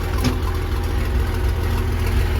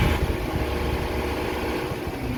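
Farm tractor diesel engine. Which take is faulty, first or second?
first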